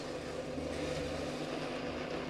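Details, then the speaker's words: New Parkside PMB 1100 A1 metal band saw, first start at speed 1: steady, even motor hum with a faint constant whine and no knocks or surges; blade rotation is very slow, running normally. "rotazione alla velocità numero 1 è davvero molto lenta."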